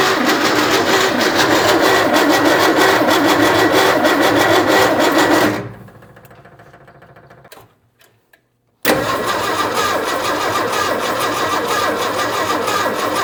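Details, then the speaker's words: 1967 Ford F-100 with a swapped 240 inline-six, running a carburetor, an electric fuel pump fed from a gas can, a distributor and new plug wires: steady fast cranking with rough sputtering catches, a pause, then cranking again until it first fires. "We got something here. Okay, we've got action. All right, let's hit it again. See if it'll run."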